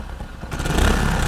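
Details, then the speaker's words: Hero Splendor motorcycle at start-up: tinny metallic buzzing rattle over the exhaust beat, sounds like something broken inside the silencer; traced to the front bend pipe; exhaust pipe internal rattle. "ये ऐसा लग रहा है silencer के अंदर कुछ ना कुछ टूटा हुआ है।"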